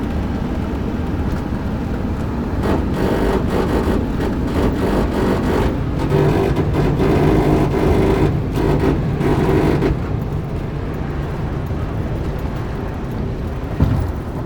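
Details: 2001 Chevy Silverado 1500 RWD coasting at 75+ mph: low rough grinding drone under road noise, heard both sides of front floor, vibration in gas pedal; front caliper clicks in reverse; cause unknown.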